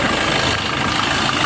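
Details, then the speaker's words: Warm Maruti Suzuki Swift Dzire engine idles smooth and even with a steady hum and no knocks, ticks or whine. This is after water pump replacement, coolant refill and drive belt refit. Normal, no leak. "Engine working കുഴപ്പമൊന്നുമില്ല കേട്ടോ, നല്ല working ഉണ്ട്, പ്രശ്നമൊന്നുമില്ല. സൗണ്ടൊക്കെ നോർമലായിട്ടുണ്ട്."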